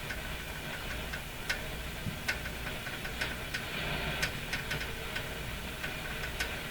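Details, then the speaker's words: Philco 48-1826 console radio, reinstalled in its cabinet after restoration, tuned up the dial. Irregular dry ticks and scrapes over a quiet hiss, uneven and jumpy; the dial pointer makes a scraping noise as it drags along its track. "Too bad the pointer makes the creeping sound as I go up, but you can also hear it's not completely smooth, right? It's a little jumpy,"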